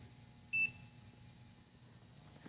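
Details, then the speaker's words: Low-tire alarm in a truck cab from a hardwired tire pressure monitoring system with tire equalizing: one short high-pitched beep over a quiet cab as the display switches from "system OK" to "low tire"; the pressure monitor is flagging a low tire. "and only if there's a low tire it changes and says well tire"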